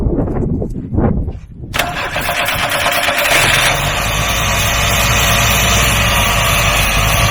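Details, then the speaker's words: Free old truck, revived with new hose clamps and fed carb cleaner, not yet on its own fuel supply: catches after a short crank and settles into a steady, even idle with no smoke, stumbles or knocks; normal start and idle. "boys we got life it doesn't even smoke the engine sounds pretty good"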